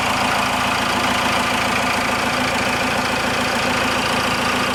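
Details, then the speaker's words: Cummins diesel-swapped Ford F150 idling after a valve adjustment: steady, even diesel clatter with no stray knocks or misses; sounds a lot better, normal healthy idle. "I think that sounds a lot better"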